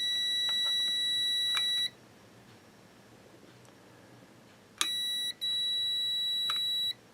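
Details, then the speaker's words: Yaesu FT-901DM transceiver with no transmit drive: a meter gives two clean continuity beeps across the normally closed contact of four-pole double-throw relay RL1, held in a vise, so that contact is good; the normally open contact reads open. "so the normally close contact is working"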